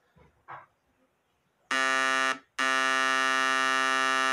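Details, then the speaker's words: Homemade 12 V inverter oscillator board, still being configured, tested on its two outputs to the MOSFETs through a speaker: harsh, steady 60 Hz buzz, cut off briefly then back just as even; oscillator output working normally. "que aconteceu o alto-falante está oscilando tá fazendo um zumbido de oscilação e 60 Hertz ó"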